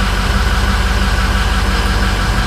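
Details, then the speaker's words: 2006 Ford F250 6.0 Powerstroke diesel, owner reports long crank on cold start (suspects high-pressure oil leak), idling just after starting; loud, even diesel clatter with no misfires or hunting, runs fine once started: normal idle. "So once it fires up, it runs fine."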